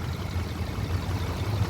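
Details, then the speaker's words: 2018 Subaru Forester, warm start-up: an even idle with faint light ticking from the direct injectors firing, which is normal. "Um they are a lot better manufactured than the older style I would say. Um that being said, they are direct injection, so the ticking"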